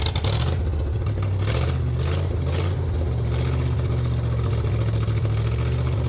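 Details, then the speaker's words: 302 V8 engine driving an air compressor, cold-blooded and cold flooded, choke kept on until warm, governor being sorted; loud steady low rumble with even beat, normal running while building pressure. "Pretty darn cold flooded as one would imagine. Got to keep the choke cold at least for now until we get some temp."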